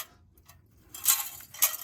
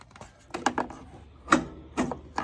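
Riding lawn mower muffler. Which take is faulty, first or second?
first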